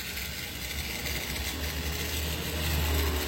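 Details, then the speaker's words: DIY cordless grinder converted from a broken corded grinder, on a 20 V 4 Ah battery with a metal cutting disc fitted, free-running: a steady, even high whir, very smooth, with no grinding or rattle. It was measured at about 7,300 rpm. "Kita coba nyalakan lagi. Nah, halus banget ya teman-teman bunyinya seperti ini."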